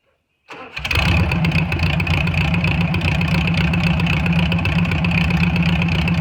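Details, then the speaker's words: VW Beetle air-cooled engine after valve adjustment and timing advanced to 30 degrees, previously running rough; catches quickly and settles into steady even chatter without stumbling; normal idle. "but uh i feel like it's running uh pretty good right now"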